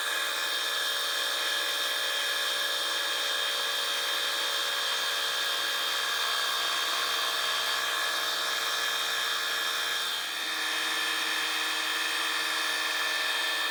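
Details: Fly cutting the top of a Ronaldson & Tippett engine's cast cylinder head at slow feed, about an inch a minute: steady high cutting hiss over even spindle hum, no chatter or tone change; normal smooth cut.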